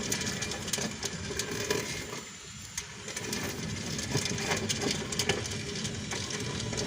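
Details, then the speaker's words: 2010 Kia Soul, rear wheel rocked back and forth by hand: gritty grinding with loose, irregular popping clicks and rattles that have been getting worse; owner suspects a bad rear wheel bearing, to be replaced. "But since lately I've been getting a popping, grinding sound from the back and it gets really worse now, so I don't know, you guys can probably hear that."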